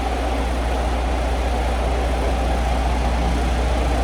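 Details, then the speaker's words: 2023 Kenworth W900L diesel idling after a failed fuse and relay were replaced: a light, uneven rattle at about two per second from the loose back panel on the light bar, not the engine. "what is that rattle okay it's just the back panel on the uh light bar back here"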